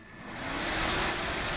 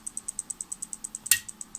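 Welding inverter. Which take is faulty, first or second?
second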